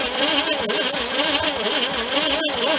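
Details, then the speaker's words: 1978 Ford Fairmont wagon that sat 35 years: the starter whirs with about four pulses a second, but it isn't even attempting to fire. Owner suspects mouse nests blocking the intake, and the plug came out dry. "let's give her the old try and see what it does it ain't even attempting to fire at all this is not good"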